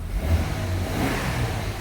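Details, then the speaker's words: Ford Falcon AU ute, six-cylinder, 253,312 km, after new cat-back exhaust using sedan mufflers and a fabricated tailpipe: smooth rev with deep, muted exhaust note, no rattles or drone; healthy, quiet exhaust. "Sounds just like a Ford Falcon."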